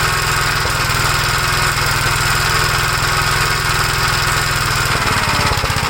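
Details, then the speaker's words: 1956 Gravely L still running rough with the carburetor from a 1957 LI swapped on, choked. Single-cylinder thump that stumbles and loses its beat near the end. Carburetor ruled out; the owner suspects a governor over-rev damaged the head gasket or something else. "okay so we know this carburetor is good there's something else WR with the engine"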